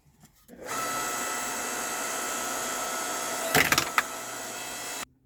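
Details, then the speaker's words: Electric log splitter splitting wood after a Harbor Freight foot pedal replaced its stuck switch: steady, even motor whine, then two sharp cracks as the wood splits, with no labouring or stalling; normal operation. "All right, so my initial thoughts, that worked out really well."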